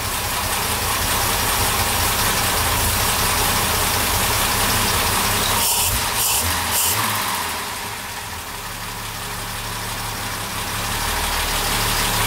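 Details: SU carburettors on a classic car, after the mixture was turned back from a deliberately too-rich setting: even, smooth idle with a steady beat and a brief blip midway, then a clean, regular idle; the mixture sounds right.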